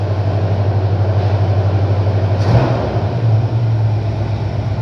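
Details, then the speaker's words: 1970 Chevy C10, owner thinks 350 V8, sat about 20 years; cold start on choke after replacing a worn timing set with broken nylon teeth: deep steady rumble, tapping gone. Finding: normal cold idle. "tapping noise is already gone"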